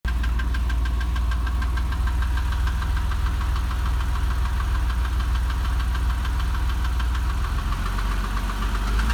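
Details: Porsche 996 3.4 petrol engine at idle with steady rapid ticking, continuing when the throttle is blipped.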